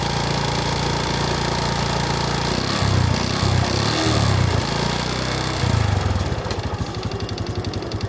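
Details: Honda Wave S 110 motorcycle single-cylinder engine running with an uneven, hollow knocking clatter under the exhaust note; worn piston slapping, piston to be replaced.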